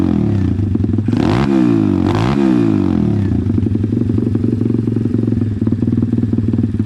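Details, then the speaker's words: Pit bike single-cylinder with newly jetted Nibbi PE26 (Keihin-type) carburettor, pilot jet changed: even idle then two clean, crisp blips rising and falling without stumbling; well-tuned carb, engine running healthy. "i think that's probably about as good as i'm gonna get it i mean i could probably adjust the needle a little bit but so far you know it sounds like it's running pretty"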